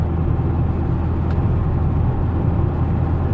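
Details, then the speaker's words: 2015 Dodge Challenger SRT 392 at 30k miles, driving after replacing the failed 3.09 rear differential that groaned and growled: only steady tyre rumble remains, with no whine, groan or clunk. Fixed. "all I hear is tires so I'm going to say this is fixed"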